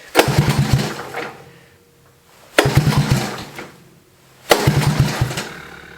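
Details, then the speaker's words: 1982 Honda ATC 110 three-wheeler, sat unused for years, after fixing a sticking carb float needle, choke on, compression good: three short bursts of firing that catch and die, so it won't idle. The idle screw setting is unknown. Engine will not idle, stalls. "all right so this guy doesn't want to idle so I have no idea what the idle screw is set at"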